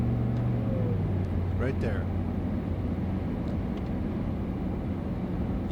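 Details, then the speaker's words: 1994 Chevy Blazer 6.5L turbo diesel, rebuilt after melted pistons, a gouged crankshaft and cracked heads, with a Fluidampr damper, full-pedal run to 70 mph heard from the cab: smooth drone under wind and road noise, no diesel rattle or knock under load. "The beginning of this particular drive, it's a full pedal run, up to 70 miles an hour."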